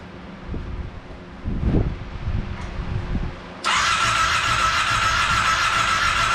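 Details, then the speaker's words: Monster golf cart build, first start attempt with temporary gas tank: few seconds of weak uneven cranking with no firing, then stops; no fuel in line at fuel pump hose, fuel pump bad. "well that's not the way I expected that to go we're not gonna get to hear it around today unfortunately so it turns out it's not getting fuel I pulled the fuel hose off of the fuel pump there's no fuel in the line so it looks like the fuel pump is bad"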